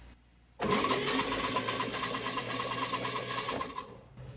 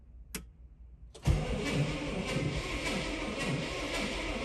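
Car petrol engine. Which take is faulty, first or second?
second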